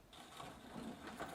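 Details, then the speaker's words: Sparta Railstar bicycle, Shimano coaster brake rear hub, wheel spun off the bike: dry gritty pepper-mill crunching; owner suspects ball cage being ground up, cones tightened earlier for side play — worn hub bearing grinding. "Now I don't know what's wrong with this thing, but it sounds like one of those ball cages that holds the steel ball bearings is being ground up into small pieces, like it's a pepper mill."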